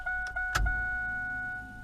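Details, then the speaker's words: 1996 LT1 Camaro with a new Aeromotive Stealth 340 in-tank fuel pump, about an eighth of a tank: a click, then a steady high hum for about 1.5 s with no whine or stutter; primes normally. "you hear that fuel pump kick on look at that"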